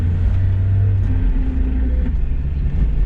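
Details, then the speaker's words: Mazda Miata on a test drive with an owner-reported rear-end noise: a steady drone with a faint tone, present in first, second and fourth gear and even in neutral. The diff is suspected, though a motor or diff mount is possible; differential whine. "gear oh yeah yeah it even does it in neutral that sort of has to be the diff but you never know could also be like a motor mount or a diff Mount or you know something moving in position"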